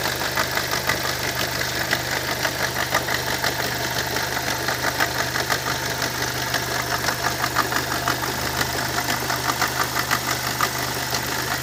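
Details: Opel Vectra C, Z20NET engine: strange engine noise, a light ticking knock about twice a second at idle above a steady hum; cause unclear.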